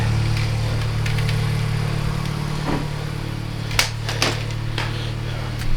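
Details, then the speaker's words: Turbo Toyota GR86 first start after fitting 1050cc injectors and a Deatschwerks 300c fuel pump: steady, even idle with loud fast injector ticking and loud fuel pump hum, no leaks; normal idle. "She's alive though. With no injector leaking. The injectors are loud. Fuel pump's loud."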